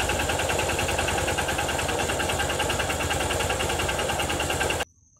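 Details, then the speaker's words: Honda Titan motorcycle at idle: a quick rattling knock about three per second running throughout; noticed a week ago, owner suspects a knocking connecting rod (biela), unconfirmed. "Que barulho é esses é eu na minha opinião Deus Na minha opinião eu acho que é da batendo biela"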